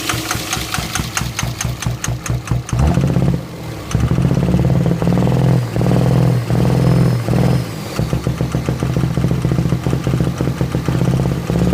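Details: 24V Cummins diesel with a lumpy, stumbling idle, uneven beats and occasional dips in rhythm. It is misfiring at idle; the owner suspects bad injectors.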